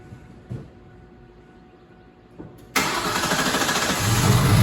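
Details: 2004 Ford Mustang GT 4.6 V8 being revived, first start after plugging in the crankshaft sensor, no coolant; a few clicks, then it fires into an even, slightly fast, quiet idle with no chain rattle; normal start and idle.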